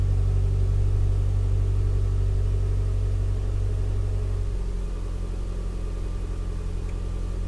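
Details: 2012+ Mitsubishi Lancer with newly installed CNT axle-back exhaust, cold start heard with car door open then closed; deep steady drone at raised fast idle that drops to a lower even note as it warms, normal.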